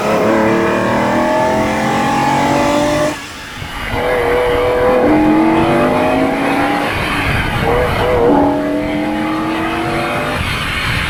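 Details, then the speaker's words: Ferrari 365 GTB/4 Daytona Spider V12 road test after repair: a smooth engine note climbs cleanly through each gear with brief dips at the shifts, healthy under acceleration. "beautiful so much better for being on 12 cylinders at the risk of stay in the obvious um this is just a joy to drive"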